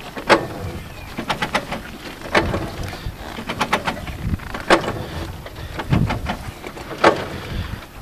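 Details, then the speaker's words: Kawasaki Mule 1000 (KAF450), engine off, rolled slowly just after being put back on four wheels (Snapper tractor rear tires on front): sharp uneven clicking every couple of seconds over scuffing, similar to engine-running sound; owner suspects torque converter. "hopefully you guys can hear that click click click click click click kind of sounds a little bit like when the engine runs too so I'm a little concerned about the torque converter"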